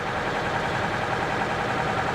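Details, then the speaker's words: Copart auction car, 4,000 miles, believed run without oil, check engine light on: smooth idle with fast light tick; owner hopes lifters will prime up but suspects permanent damage. "I'm just kind of sitting here hoping that maybe, just maybe, the lifters will prime up and that noise is going to go away."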